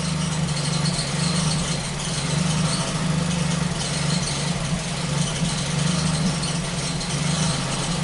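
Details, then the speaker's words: Ford Focus petrol engine at idle after replacing a faulty intake-port sensor: steady idle with an occasional brief stumble, an intermittent misfire, less frequent than before but still present; owner suspects a second problem. "there's a misfire here let's see what happens here nope it's not uh well again we have to drive it it's not as frequent as it used to be but it's still there still does it"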